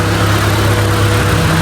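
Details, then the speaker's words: Honda Civic VTi idling with the AC off after a misfire fix: spark plugs replaced, settings adjusted, electrical troubleshooting and ECU check. Smooth, even low idle with no stumbles or misses. It previously stalled when the AC was switched on. "Patay aircon. Kaya andar niya, pakinggan niyo. Patay mo na aircon."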